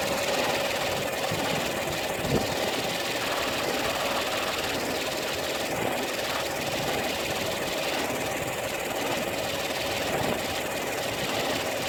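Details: Peugeot 308 II engine at steady idle with light rhythmic knocking ticks, no revving; faulty air-conditioning compressor suspected as the source.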